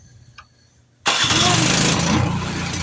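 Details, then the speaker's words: Power Smart 26-inch snowblower that would not start from bad fuel, after fuel system cleaning: small engine fires and settles into a steady, even run with no stumbling; normal running. "it does run correctly, as you can see. So this is another snowblower done. Simple fuel problem, we got that straightened out."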